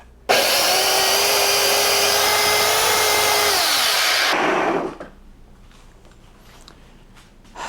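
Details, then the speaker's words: Electric Snow Joe snowblower after reseating the drive belt on the drive pulley: loud, steady electric whine with even whirring, runs smoothly a few seconds then spins down; owner thinks it sounds a bit faster and louder; normal running. "I could be fooling myself but I'd be lying if I said I didn't think it sounded a little faster and louder"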